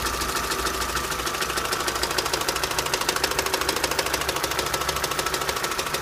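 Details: 2006 Opel Astra H Z16XEP, knock appeared at 170,000 km; crisp, even tapping about three times a second over idle. Shop suspects intake manifold needing cleaning/factory defect and TWINPORT flaps, plus valve cover breather valve; unconfirmed, bearings and pistons reportedly fine.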